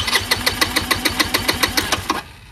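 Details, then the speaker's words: Chinese GY6 150cc scooter with replacement carburetor, mixture and idle screws adjusted, electric choke wires crossed without effect: even cranking at about seven beats a second for two seconds, never catches; crank no start. "because you can't start it that was just leftover fuel you know and it still won't"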